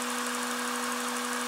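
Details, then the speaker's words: Honda/Acura J-series V6 after fuel pressure regulator replacement: it first sounded like a vacuum leak from a forgotten intake line; after reconnecting it, a steady, even idle with a smooth wash of engine noise, faint constant hum, no hiss. "I forgot to do that that's why it sound like that she sounds beautiful she sounds a pretty nice and party"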